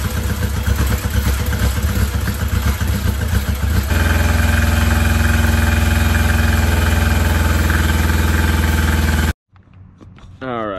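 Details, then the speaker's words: 1982 Yamaha Maxim 650 motorcycle, cracked fuel petcock hose, starter wonky; even steady fast idle that settles a little high, then cuts off cleanly, running nicely. "so the starter was wonky on this but feels real nice honestly that idles up and feels nice"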